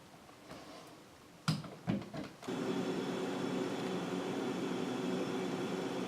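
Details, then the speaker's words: Refrigerator after cleaning the dirty coils and fitting a new relay and the old overload: a few handling clunks, then the compressor starts with a steady, even low hum. The fan is running normally. "so the compressors on I can feel it the fan is on which it should be to draw hot air away and evaporate water"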